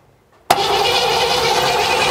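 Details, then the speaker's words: 1957 Chevy Bel Air sitting since 1985, start attempt: steady cranking whir with no firing; distributor ignition points aren't opening (suspected not adjusted), so no spark. Crank, no start. "they're not opening they're not opening"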